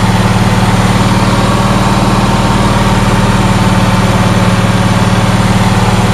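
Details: Onan twin engine after tightening a loose spark plug that lost compression on the fuel-pump-side cylinder: even, firm low thump about four pulses a second, no misses; both cylinders firing, normal idle.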